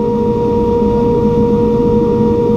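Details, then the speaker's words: Aerco Benchmark 2.0 high-efficiency boiler, water at 133°F against a 189°F set point, relay bypassed, before ignition maintenance: steady, even blower hum with no surges or rattles as the burner lights. Normal ignition and firing. "we have fire"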